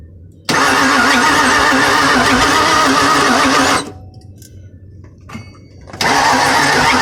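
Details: 2002 Mustang GT won't start: starter grinds the engine over steadily for about three seconds, stops, then cranks again; never catches; crank no start.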